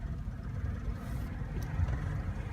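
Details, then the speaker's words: Warm engine at normal low idle with a soft, even rumble, no knocks or misses; gauge shows generator charging, about 140 degrees, oil pressure over 20 psi at idle rising to 30 when revved. "this gauge is interesting charging is to the left so we're the generator charging and we're about 140 degrees there's what's low idle is like"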